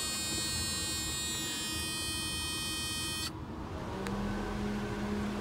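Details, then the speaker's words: 1992 Mercedes 300E W124 with M103 engine, intermittent overheating in heat waves, high-speed auxiliary fan not working normally; grounding brown/gray pin 13 relay trigger wire with key on: steady electric whir holding even hum, auxiliary fan running at high speed. "I've got auxiliary fan turns on so I'm applying a ground to this brown and gray wire that goes to the relay"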